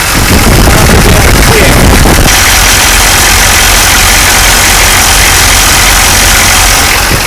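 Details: Engine with recurring morning start-up problems, air bubbles seen in the fuel line, a loose power steering pump and rubber fuel lines: loud, uneven, lumpy idle with hissy roar on top. Rough running; owner suspects air getting into the fuel, not confirmed.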